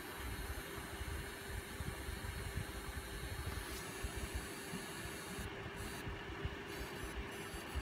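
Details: An Asus Strix RX580 graphics card gives a thin, steady high-pitched whine over low fan rumble, cutting in and out. Testing with a new PSU gave the same result. Coil whine.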